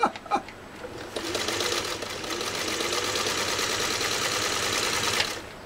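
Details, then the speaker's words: Freshly serviced Singer 301A sewing machine stitching vegetable tan leather: soft, even whirr at steady speed with no clatter or grinding from the mechanism; runs almost silently. "to mention listen to how quiet this machine runs it's ridiculous I mean it just it just runs almost stealth"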